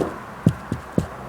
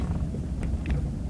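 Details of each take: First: 2001 Jaguar X-Type 2.5 manual, 107,000 miles, on a road test after changing rear top and lower control arms, anti-roll bar bushes and drop links: three dull thumps over bumps; slight remaining rear knock, cause suspected, not confirmed. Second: 2001 Jaguar X-Type 2.5 manual, 107,000 miles, road test over a lumpy lane after replacing the rear top and lower control arms, anti-roll bar bushes and drop links. Steady road rumble with only faint ticks and no heavy clunks; only a very slight rear noise remains.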